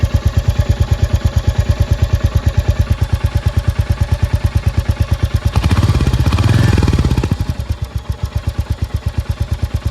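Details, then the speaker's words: Royal Enfield Hunter 350 at idle just after starting: steady single-cylinder beat about three per second with a light, even "kit kit" tick on each beat, likely tappet noise, thought to occur on every Hunter. "Start करने पर इसमें आवाज आपको kit kit करके आती है जो कि आप सुन सकते"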